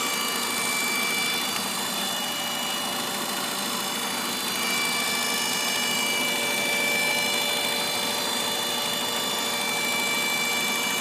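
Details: 1997 Ford Escort, 154k miles, warm engine: loud steady whine with thin tones from the back of the engine; pitch changes with light throttle but not heavy throttle; unchanged with the EGR vacuum line removed. Cause unknown.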